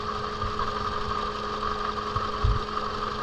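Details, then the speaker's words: 2007 Toyota Camry with a flashing check engine light, idling with a misfire: irregular low thumps break the beat. Unplugging the cylinder 3 ignition coil causes no change, so that coil is dead. "When we take this one off, there's no change. So that means that coil is not working."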